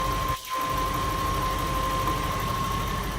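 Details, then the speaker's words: 1993 Lexus SC400 4.0, 105,000 miles: a steady, even idle with no skips. Readings are 8.7 at the pump, 9.5 pink, 2.4 red; not misfiring. "it's idling it has a little bit of a misfire i don't think it has a misfire does it no it's not missing it's not missing"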